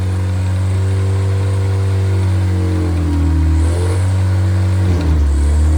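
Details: Freshly rebuilt MG Midget/Triumph Spitfire 1500 performance four-cylinder (shaved head, flat-top pistons, enlarged intake valves, 270 cam): a strong, even drone that climbs on each throttle blip and settles cleanly; healthy revving.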